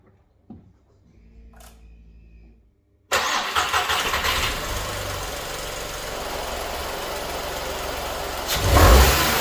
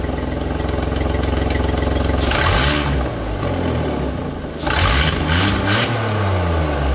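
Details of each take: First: Skoda Fabia 1.2 12V after replacing its leaking catalytic converter, which is integrated with the exhaust manifold. Quick crank, a clean catch, then an even, steady idle with a smooth blip. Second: Skoda Fabia 1.2 12V at idle before repair: rough, loud, chuffing tractor-like note that gets harsher when blipped; the catalytic converter, integral with the exhaust manifold, is leaking and will be replaced.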